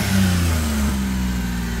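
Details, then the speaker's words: Low-mileage Suzuki Carry kei truck with original exhaust: smooth, deep rev staying steady with no knocks, rattles, misses or smoke; a healthy motor. "it's a healthy [Music] motor that's the sound of a healthy motor no smoke"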